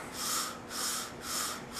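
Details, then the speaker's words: Outdoor condenser fan motor of an HVAC air conditioner, spun slowly by hand: soft rhythmic scraping swish about twice a second because the rain guard was pushed down the shaft and rubs the motor body; harmless but annoying, fixed by prying the guard up. "but what's happening is this little rain guard got pushed down and it's rubbing against the motor and it's not really going to hurt or anything but when you turn it on it's going to make a really annoying sound"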